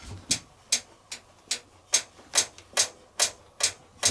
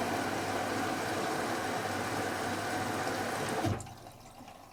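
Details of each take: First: Logik L814WM20 8kg 1400-spin washing machine, drum rocked by hand: sharp bright clicks about twice a second, a poorly fixed third damper mounting knocking against the case, a build-quality issue with no fix. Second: Logik L814WM20 8kg 1400-spin washing machine, powder detergent in the main wash drawer, main wash LED lit: a steady rushing hiss of water fills the drum for a few seconds, then cuts off cleanly; normal wash fill.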